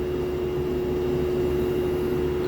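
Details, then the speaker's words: Lloyd inverter AC outdoor unit, in use since April 2023 and under warranty, gives a loud, steady tonal hum like a train horn over the fan rush, present since installation and unresolved after two service visits. "you can listen to the hum, loud humming, it's from my AC unit. Let me take you outdoors. Experience this noise. It's actually deafening,"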